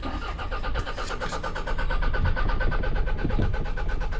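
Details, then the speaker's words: Cheap car, good battery fitted, ether sprayed into the intake, dash lights on: starter spins at a steady, even rhythm for several seconds but it never fires. Red flashing light, owner suspects the immobiliser. Cranks without starting. "Yet still, this thing doesn't even want to fire. You know what? This thing's cranking, but not starting."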